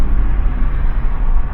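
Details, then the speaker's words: 2012 Subaru Outback that stalled and ran poorly at stops after a battery replacement, after throttle body cleaning and torque converter relearn: deep, steady rumble settling to smooth idle with no rev dip when stopping; fixed. "oh it's already stopping so much better you notice a REV dip didn't even happen that time"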